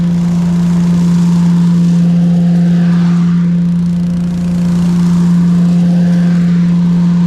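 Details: Briggs & Stratton engine on an Agri Fab Mow & Vac leaf vacuum, said to need a new engine but passing a leak-down test, running after carburetor and fuel system work with the hose attached; steady drone with fan whoosh, no misses or surging.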